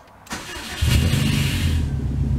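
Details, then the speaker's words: High-mileage, neglected 2006 Subaru STI with a multiple-cylinder misfire code, just fitted with new spark plugs and coils: a harsh metal-on-metal rasp in the first second of startup, then a rough idle; source unknown, misfire persists. "that does not sound good that first second of initial startup sounds like straight metal on metal and it sounds terrible"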